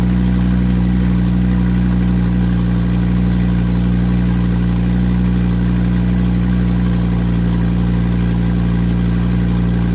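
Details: Volvo S40 T5, 2.5 L inline-5 turbo, cold start after sitting about a month: loud raw blatty idle with rapid puffing from a split flex pipe bolted to the turbo, sounding like a catless hood exit.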